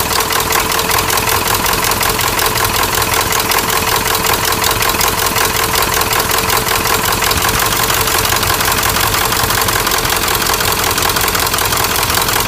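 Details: 1997 Ford F-350 turbo diesel at steady idle: loud, sharp, very regular clatter at about 160 raps a minute, harsher than normal diesel rattle; knocking at idle, with bad injectors suspected but not confirmed.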